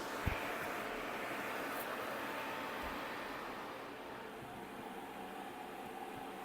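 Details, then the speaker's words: IETS GT 626 laptop cooling pad at 2800 rpm, heard from about half a metre before the laptop is placed on it: even airy whoosh with a faint steady hum, no rattle or scrape; fans running normally. "От я зараз від кулера знаходжуся орієнтовно від підставки півметра і ви чуєте, як це все шумить."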